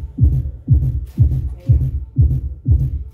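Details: Kita subwoofer box tested with speaker refitted, playing from a pendrive: deep bass thumps about two a second land cleanly with no rattle or buzz from the cabinet; normal subwoofer playback.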